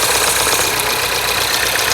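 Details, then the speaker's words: Mini OU08MJO returned after a reported snapped cam chain, idling: steady, even idle with no ticking, rattle or knock through the hiss; engine sounds sweet, timing chain apparently not snapped. "Well, that engine sounds pretty sweet to me. It's certainly not snapped, has it?"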